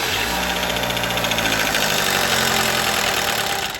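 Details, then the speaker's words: Car that runs badly and stalls on start: rough, uneven idle with a fast metallic rattle before it dies; timing chain rattling, camshaft position B timing codes stored. "Right off the bat, I already knew what the problem is. The timing chain is rattling like crazy."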